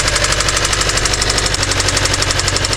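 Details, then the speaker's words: Kia Optima engine cranked and idling: hard rapid metallic knocking, roughly ten blows a second, over the idle; severe internal engine knock. "Now that, my friend, is a knocking engine."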